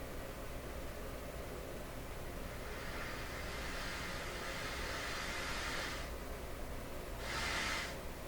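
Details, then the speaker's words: Nordmende 3004C radio on FM at the bottom of the band near 88: steady loud hiss, not even picking up a local 88.1 station; local oscillator misaligned with the dial, needing adjustment. "Right now we are tuned to, well, right around 88. I'm humping because I'm down to the end of the band here, 88, and there's more to go. We're not even picking up my house station at 88.1."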